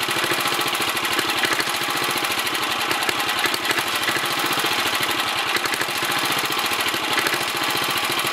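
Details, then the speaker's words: 1964 Sears Suburban 600 tractor single-cylinder with leaking sediment bowl: fast busy putter with uneven ragged firing and rattly top end, smoothing slightly; carburetor suspected to need cleaning and adjustment. "The carburetor needs cleaning out probably, and then adjustments, but other than that, who knows?"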